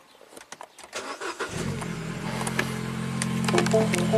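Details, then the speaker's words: 2012 Mini Cooper, N16 naturally aspirated, 113,000 miles, with an intermittent crank no-start: a few quick cranks, then it fires straight up and idles smoothly, running off a test light that supplies power to the ignition coils. "See, fired right up even with the test light."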